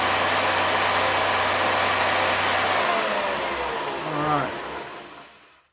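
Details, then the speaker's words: Shopsmith motor after cleaning to fix RPS error, belts left unchanged, run at high speed around 9500 then winding down: steady hum, no clunks or rattles, smooth stop; running right. "to me it sounds like it's really doing right no need to readjust the belts"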